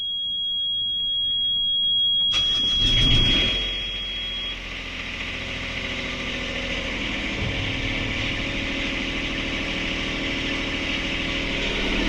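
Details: Sailboat port diesel being restarted after all four engine mounts snapped in a collision with a submerged log and were repaired. It cranks, catches and settles to a fast, steady clatter, idling too high because the throttle cable bracket bent.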